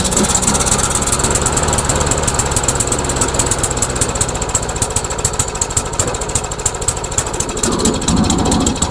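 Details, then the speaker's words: MTD Yard Machines trash-found mower with Briggs engine, carburetor and gas tank already replaced: uneven, loping beat with misses and stumbles, never settling, acting as if heavily choked; rough running. "weird it's almost like it's choked like crazy"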